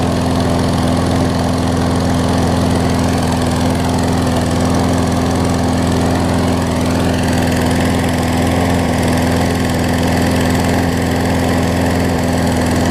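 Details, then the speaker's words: Craftsman push mower after carb clean and right front wheel assembly replacement: steady even single-cylinder drone at constant speed, no misses, surging or knocking; possible tiny carb bowl leak. Normal running. "all right guys here's the final product um as much as i'm going to do with it anyways looks like it runs good cuts fine"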